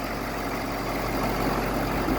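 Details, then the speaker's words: 2014 Ford F550 6.7 Power Stroke diesel after replacing fan clutch that caused grinding: steady, even idle with low rumble and no grinding; fixed. "Alright, no more grinding."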